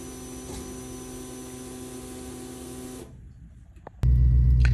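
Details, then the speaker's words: Truck with Holley Sniper EFI 2 conversion, original in-tank electric fuel pump before replacement: a constant high-pitched whine with a steady, unwavering buzz, far louder than it should be; failing pump. "But I want you guys to hear what the noise the pump was making prior to me replacing it."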